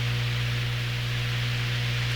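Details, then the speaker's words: Hammarlund SP-600 ex-military receiver, all paper capacitors replaced, still warming up, tuned near 19 MHz, audio fed straight into the recorder: constant low mains hum under hiss. Owner suspects the audio hookup rather than the radio; unconfirmed. "the hum may be more reflective of how i've connected things in the audio because i normally don't hear raham out of this way"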